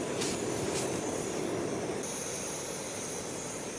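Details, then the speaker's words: Liquid-fuel backpacking stove in winter camp, preheated until it starts hissing: steady, even hissing roar, no sputtering or surging; burner running cleanly at full flame. "All right, you start to hear it. Once you start to hear it, it'll start hissing. There we go."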